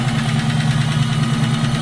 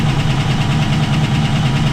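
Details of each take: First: V8 with link bar lifters, chilly day, idling after cold start with longer (1/16 inch) pushrods fitted: smooth idle with light quick ticking, slightly quieter than with previous shims; normal tick of this lifter type that won't go away. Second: Cold V8 on a chilly day with link-bar lifters, 1/16-inch-longer pushrods and readjusted rockers, just started after a month: light quick ticking over a steady rumble, quieter but still present before oil reaches the top.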